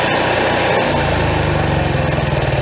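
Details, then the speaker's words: Coachmen Freelander 31BH RV generator started from the exterior push button: brief cranking, then it catches within a second and settles into an even, steady hum; normal generator start. "you can actually turn on your generator from here as well which we'll show you how to do here real quick you push this in and it starts right"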